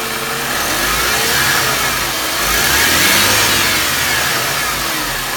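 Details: Mercedes M271 engine at idle: steady hissy whirring over idle, rising with light revs, first suspected as power steering pump; solved, the noise was the belt tensioner.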